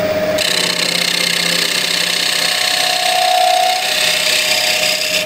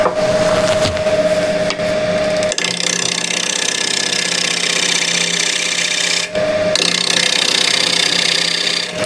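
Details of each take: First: Cherry wide-rim bowl blank on a wood lathe, after truing: smooth unbroken hiss of the gouge cutting with no knocking. The knock came from the wobbling, out-of-true blank and turns steady once trued. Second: Cherry bowl blank, wobbly and out of true, on the lathe. The gouge gives a rough, rhythmic knocking scrape as it catches only the high spots, turning to a steady sound once the blank is trued: intermittent cut on an out-of-round workpiece.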